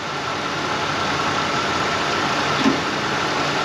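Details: 1990 Ford LTD Crown Victoria restarted after sitting 8 years, fuel drained: steady, even idle with a faint constant alternator whine as it charges the battery, no knocks or misses; normal idle.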